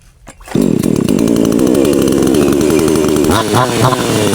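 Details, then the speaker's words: Black Bull (Kratingdaeng) 6000 New two-stroke chainsaw, choke-started, being carburetor-tuned: fires up then stumbles and wavers (bogs) because the H mixture screw setting is too lean; turning it adjusts the mixture. "แบบนี้มันวูบนะครับขยับตัวไปุนไปด้านซ้ายนะเฮออ่ายังไม่ได้ครับ"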